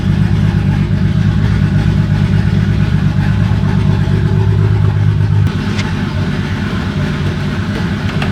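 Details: BMW E30 with rebuilt turbo M20 stroker (2.7L 325e block, 325i head, Schrick 284 cam, GT3582 turbo), just reassembled, before coolant is added: low steady burble with even pulse, no knocks or starter grind, eases slightly quieter; smooth normal idle.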